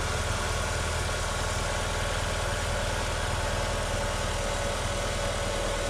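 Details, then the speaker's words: Haval Hover (Great Whale) engine after repair of a timing belt that had jumped 4 teeth (valves not bent), previously knocking like a diesel with surging idle; now even steady idle while warming up, low hum, faint whirr, no knocks or misses. Normal idle. "Работает достаточно ровненько. Сейчас прогреется. Кстати, работать начал по-другому."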